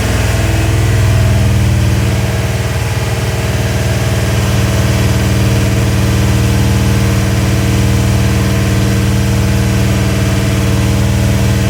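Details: Rebuilt Ford 351W V8 (10:1 compression, Edelbrock heads, mild Howards cam, Autolite 4300 carb, ported intake) first start and break-in: even steady idle with firm low rumble, slight early rev swell, no knocks or misses; healthy.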